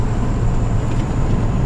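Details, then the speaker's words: Deleted and tuned 2012 Ram 2500 6.7 Cummins diesel, after replacing a broken boost pressure line (part 68038087AA), windows down: exhaust brake gives a deep even rumble with steady low hum, no whistle or odd noise; normal exhaust brake operation. "okay so I'm gonna roll the window down try the exhaust break up here and get both windows exhaust brake on it sounds normal now"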